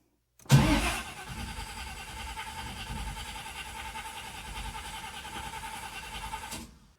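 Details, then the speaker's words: 1979 Camaro big block Chevy, long unused with no tune-up, after cleaning the starter solenoid contacts. Steady, even cranking for about six seconds with no firing. The carburetor is dry, with nothing from the accelerator pumps. "Take the air cleaner off and see if I've got fuel in the carburetor. Oh, I can smell it, yeah. Nothing coming out of the accelerator pumps."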